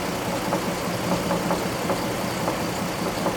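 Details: 2003 GMC Envoy 4.2L 4x4 automatic, warm idle after 3–4 minutes of running, before the serpentine belt is removed to rule out accessories: a faint, irregular tapping knock about twice a second, source not pinned down.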